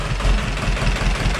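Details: 30hp Deutz two-cylinder diesel on a homebuilt hydraulic log splitter, full oil pressure, idle lowered after a bolt was holding it up; steady even low thrum, no knocks or misses. Normal idle, runs like a champ.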